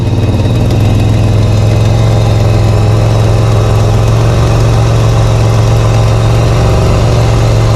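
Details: Holden VL Commodore at idle on first start after ignition and cam timing adjustment, newly installed painted extractors, cat and cat-back exhaust: deep, steady, heavy rumble with no misses, engine fine but exhaust very loud.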